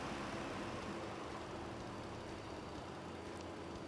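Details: Ford petrol engine at operating temperature during KOER self-test: idle rpm coming down and settling to a steady, even smooth hum with no knocks or misses; test completes with no trouble codes.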